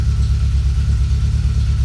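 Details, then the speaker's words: Fuel-injected Triumph TR7 started from cold, idling at about 1100 rpm during warm-up with the O2 sensor in closed loop: a deep, steady rumble whose rpm swells and dips as the mixture cycles rich to lean at 1–2 times per second; normal. "You can probably hear the engine RPM wandering around as the mixture moves from rich to lean. And now it's starting to move a little bit more widely, and you can see it cycling at about 1 or 2 cycles per second."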